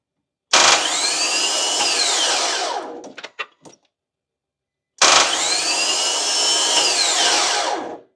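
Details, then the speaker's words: 2014 Nissan Frontier no-start, microphone outside: the starter clicks on, then two bursts of high free-spinning whir wind up and coast down without turning the engine. It isn't engaging the flywheel; a stuck starter solenoid is suspected, not confirmed. "as you can hear the starter kind of click on and then um yeah just it's just spinning and it's not engaging so to me that seems like a stuck starter"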